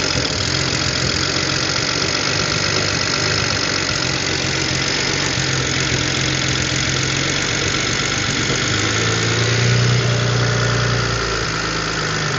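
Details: 2007 BMW N54, first start after installing coded index 12 injectors, having sat a while: fast uneven light ticking, three or four a second, over a rough idle; owner suspects lifter tick until oil pressure builds and a slight misfire.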